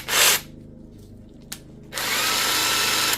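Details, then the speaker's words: DeWalt DCF891 cordless impact wrench after stripdown and regreasing, no-load runs: harsh gritty whir from visibly damaged gear teeth; it had been grinding and jamming, now turns but still noisy. "it's still noisy you can hear those [Music] gears so it's still not in a healthy condition given that the teeth are obviously damaged on the gears"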